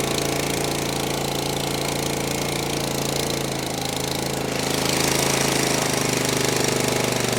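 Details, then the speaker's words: Gravely ZT HD 52-inch mower, Kawasaki FR691V 23 hp V-twin, first start after head gasket replacement, choke on, full throttle, air filter off: strong, steady even firing with no knock or stumble, burning off oil; running healthy. "You hear she's running real good. Just burn off a little oil."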